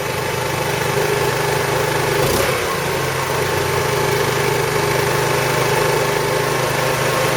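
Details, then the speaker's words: 2008 Roketa Sicily 150 scooter, small four-stroke: uneven, hunting idle at about three or four beats a second; worsens once warm. Owner suspects a carburetor or intake manifold air leak and will test with carb cleaner spray. "I'm going to leave it running and I'm going to spray around um the carburetor with carburetor cleaner and see if the idle uh changes if it does it's got a leak in that area"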